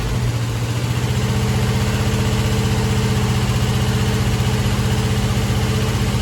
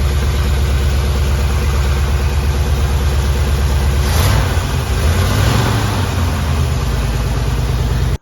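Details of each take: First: Chevy Nova rebuilt engine (earlier had pistons installed backwards) at first fire-up: light regular ticking, roughly four per second over a smooth idle, in time with the engine; traced to a loose rocker arm needing tightening and adjustment. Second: Chevy Nova engine rebuilt after two pistons were installed backwards (slapping), loose rocker then tightened and readjusted: steady, even idle with one throttle blip and no top-end tapping; noise gone, normal.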